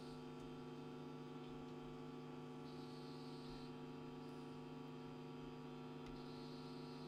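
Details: National Panasonic RF-7270 radio set to AM with the aerial not properly connected: steady low buzzing hum with no station, pointing to a power or earthing fault rather than the tuner; cause suspected, not confirmed.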